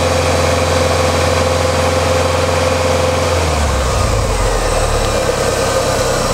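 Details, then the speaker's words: Warm Ford Mustang raised to about 2000 rpm as the radiator fan cuts out, after lambda sensor replacement cured jerking, power loss and unstable idle: smooth, even hum with no knocks or misses; healthy. "Je vais monter les tours à 2000 tours. Voilà, le ventilateur s'arrête, je monte les tours."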